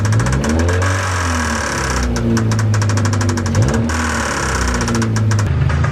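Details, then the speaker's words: Newly bought Mazda Miata at idle: steady idle with knock deeper than lifter tick, riding the firing rhythm; upper-end noise not deep enough for a rod, owner suspects a stuck lifter, cause not confirmed. "Well, it runs. Hopefully you guys could hear that. I have no idea what it could be. Maybe a stuck lifter or something. This is nothing I've ever dealt with or heard. It's not like the normal lifter tick. It's a little bit deeper, but it's not nearly deep enough to be like a rod or something."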